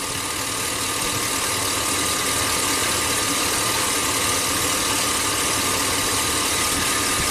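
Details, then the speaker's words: 2005 Chevy Silverado 2500HD V8 with reman engine, never ran right, misfire with no check engine light: rough idle with fast regular snapping as cylinder two's plug wire arcs; no spark reaching cylinder two, no contribution on drop test. "you can always hear something snapping the iron plug cylinder too you don't hear the snap plug it back in snap snap snap snap snap snap okay that's definitely a problem so let's go let's start with that the spark is not getting into the cylinder on number two"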